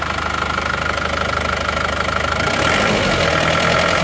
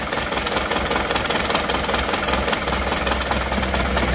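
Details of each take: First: Isuzu Panther diesel that had limped and knocked, idling: a steady even clatter about three beats a second with no missing or lumpy firing. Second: Isuzu Panther diesel idling with a loud, uneven clatter and lumpy beat, plus heavy smoke: cylinder 4 makes no power, with injector pressures low around 130, reset to 190.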